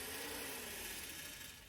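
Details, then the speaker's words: Shelby GT500 electric cooling fans with new harness and resistor, switching on with AC on: quiet whirring with a dry dragging scrape fading as the fan spins down; shroud suspected pushed too far against the radiator, stops after refitting. "What was that noise? Something dragging. Something in the fan?"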